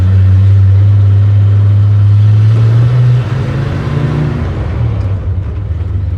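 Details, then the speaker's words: 1966 International 1100 shortbed pickup, an old six, driven in second gear at about 300 rpm; no transmission or throwout bearing noise, the clutch seems fine. Deep, slow, even chugging at very low revs under load, no knocking: normal low-rpm lugging. "wow it lugs in second pretty good this thing will run 300 RPM it just chugs"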